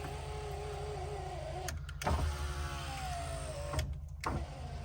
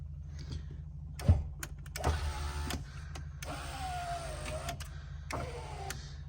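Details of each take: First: 1989 Land Rover Discovery V8 power window motor, probably seized from disuse and now freed and refitted: whirs steadily, stops, then runs again with rising pitch; it works but runs in reverse, moving up when the switch is pressed down. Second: 1989 Land Rover Discovery V8 power window motor, previously seized from lack of use: three short, smooth electric whirs with steady pitch, no grinding or binding; normal operation.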